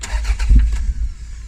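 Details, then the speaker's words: Mk2 Toyota MR2 sat 14 years, first start attempt after adding fuel and refitting spark plugs: a couple of deep low thumps while cranking, then a brief catch and fade; engine coughs but doesn't yet run. "it coughed it definitely coughed"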